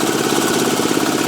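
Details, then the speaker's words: Gravely L8 tractor with a 10hp Launtop (Chinese clone) diesel, now electric-started on a strong battery taken from another tractor after the original died: steady, even diesel clatter at constant idle, no misses or uneven beats; healthy idle. "I'll go ahead and crank it up with the electric start now, and See how that works. And you can hear the engine run."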